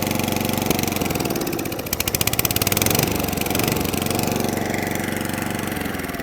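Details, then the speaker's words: Atco Balmoral 20S cylinder mower, old Suffolk carburettor: small single chugs at an uneven, faltering beat, sagging and surging, only running with choke manipulated; fuel starvation suspected. "Let's give it a pull. So I'm having to manipulate the choke to keep it running."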